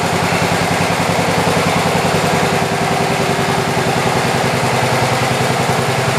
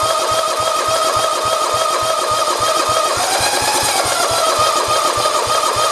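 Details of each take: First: 1967 112 round fender with carburetor mixture screws adjusted: steady even putter at constant idle, no misses or knocks; healthy, though some smoke noted. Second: 1967 112 round fender, starter whine with even compression chuffs about three a second and no firing; fuel line pulled off shows no fuel reaching the carburetor, cranking but fuel-starved.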